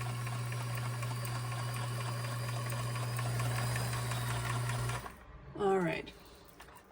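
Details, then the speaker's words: Kenmore 158-1941 sewing machine, during cleaning and oiling; moving much nicer though an unlocated squeak remains; steady low hum with light even stitching ticks for five seconds, then stops: normal running. "I'm already loving how smooth and pretty that sounds. Really, really liking it."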